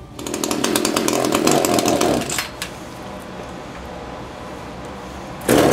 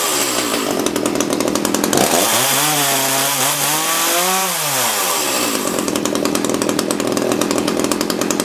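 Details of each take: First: Echo CS-330T top-handle chainsaw, unused for years, hard starting and oil leak; screams raggedly, drops to rough idle, revs again, starving at high speed; suspected hardened fuel pump diaphragm, needs carb kit; engine bogging at high speed. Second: Echo CS-330T top-handle chainsaw after old fuel containing water was swapped for fresh gas: crisp high idle, smooth climb to full revs and clean drop back without stumbling. It is running well.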